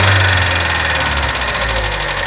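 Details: 2012 Chevrolet Sonic 1.4 turbo petrol at about 80k miles, at idle: quick, light, loud top-end ticking; owner suspected lifters, clogged injectors or the purge valve. It faded after Techron injector cleaner and a new vapor canister purge valve.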